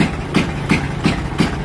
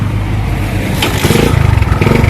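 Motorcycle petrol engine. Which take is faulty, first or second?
first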